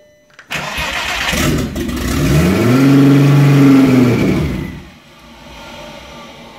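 The starter spins, then the engine briefly surges and rises in pitch before dying back down; it cranks but won't keep running.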